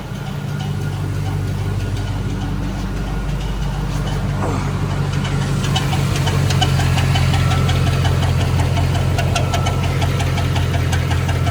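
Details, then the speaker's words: 2006 Chevrolet Silverado V8 on jack stands, heard from underneath: steady idle with a rough, irregular metallic rattle about three a second, worsening, oil pressure still fine; sounds rotational, torque converter or flex plate suspected, source unconfirmed. "that sounds rotational maybe it is the freaking torque or the uh flex plate I don't know I cannot tell where it's coming from"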